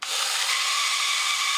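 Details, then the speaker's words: 1983 Horikawa Cosmic Fighter toy robot, made in Japan, running sluggish with front cover off: harsh high whirring with a thin squeal from the dry electric motor shaft, before oiling the top and bottom of the shaft. "yeah you can hear it squealing see if we can uh Lube that up enough I'm trying to get some down into the top of that motor shaft"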